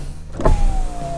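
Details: Power window test on a 1991 BMW 318i (E30) sedan being restored: short electric motor whir with a steady tone sliding slightly lower as the glass travels; normal power window operation.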